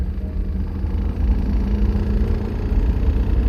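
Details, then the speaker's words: British-built Isetta bubblecar accelerating hard through first, second and third gears: heavy low engine drone with a busy knock-like rattle over it, which sounds like engine knock but is actually the interior panels rattling badly. "so it sounds like the engine's knocking I'm sure but it's actually the interior panels are just rattling like crazy that would bother me"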